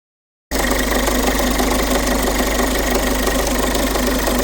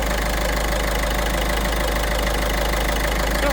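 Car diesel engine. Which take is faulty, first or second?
first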